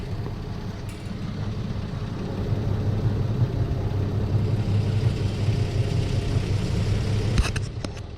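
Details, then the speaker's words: 2008 Infiniti G35 exhaust at idle, heard from outside, after replacing a rusted-out, loose C-clamp with a 2-inch adjustable hose clamp: a steady low rumble with no metallic rattle, the noise now gone. "after making the clamps snug you can see the rattle noise is gone"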